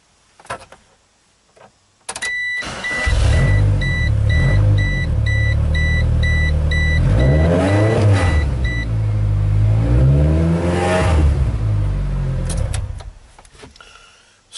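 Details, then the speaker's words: 1996 GEO Tracker after the fix, back pressure gauge showing no catalytic converter back pressure: steady low idle rumble holds without dipping or stalling, chime beeping in background; stalls much less than before the repair. "I don't know if you noticed or not but it didn't want to stall near as much now since we did our fix on it"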